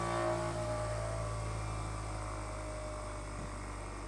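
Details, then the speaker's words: Bench grinder during four-run balance, trial weight at 120 degrees near the existing unbalance weights: deep hum with pronounced throbbing beat and rattle, machine trying to walk on its base; vibration 2.02 in/sec, severe unbalance. "It's trying to walk away, but luckily it's not. Yeah. 2 in per second. 2.02 That's pretty wild."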